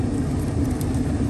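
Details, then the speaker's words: 1980s GM G-body HVAC blower motor on max, key on, after a no-airflow fault: steady low whir and rumble with no scraping, ticking or wobble; runs normally, the cause having been a disconnected cable from the cigarette-lighter harness. "key is switched on it's on off right now we're going to switch it to max look at that now i have airflow"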